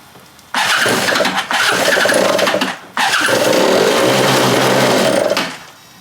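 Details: Free stand-up jet ski two-stroke on a stand after carburetor refit, fresh fuel, low/high mix screws at 1 3/8 and 1 3/4: two short ragged rev bursts, each sagging and cutting out; won't run cleanly.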